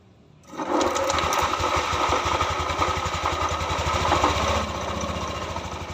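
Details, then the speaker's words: Yamaha NMAX keyless that kept stalling, after repair with connectors refitted, before fan and covers go back on: starts first try and settles into a quick, even putter with slight rev rise and fall; considered fine. "Insya Allah ini aman. RPM nya juga agak naik turun, jadi saya rasa ini aman."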